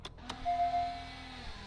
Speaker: Parking brake works. >> Sound like it works.